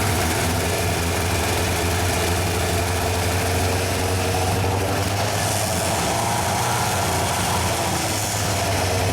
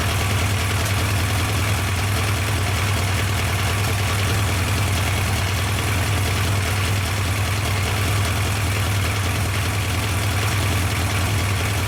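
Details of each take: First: Yamaha 1200 FJ café racer project, first start after rebuild and oil fill, carburettors not yet synchronised: rough, wavering idle that won't hold, then revs climb and run away. The carbs are starved because the fuel pump wasn't running. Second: Yamaha FJ 1200 café racer four-cylinder, restarted with fuel pump running, during carburettor synchronisation: steady, even idle with a low, regular beat and no misses or knocks; settled and healthy.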